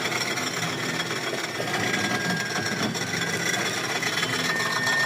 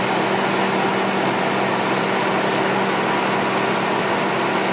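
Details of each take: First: Honda FD with R18 engine idling: steady rough scraping rasp with a faint high squeal from the serpentine belt tensioner, which had been fitted with a non-original bolt. Noisy worn tensioner, to be replaced. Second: Honda FD with R18 engine after fitting an original serpentine belt tensioner, idling: steady smooth hum, constant low tone, no ticking, squeal or rattle from the belt area. Normal idle.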